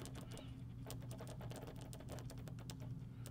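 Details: Case IH 3320 sprayer AIM Command nozzle solenoid retested after cleaning dirt off plunger with carburetor cleaner: quick crisp clicks over faint hum, plunger now travels fully; normal solenoid clicking.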